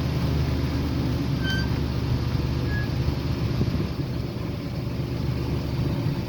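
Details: 2009 Jeep Wrangler after PCM repair (damaged transistors for ignition coils 6 and 3 replaced): steady low rumble with even beat, no skips or stumbles — normal idle, misfire fixed.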